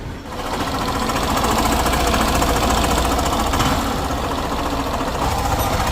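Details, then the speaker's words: Suzuki Burgman 125 scooter at 78,000 km, idle before engine rebuild: heavy rapid knock about three to four per second, clattering like a truck or tractor; crank and piston kits being replaced. "तर हा इंजिनचा आधीचा आवाज आहे एकदम truck चालतो तसा वाटतो tractor"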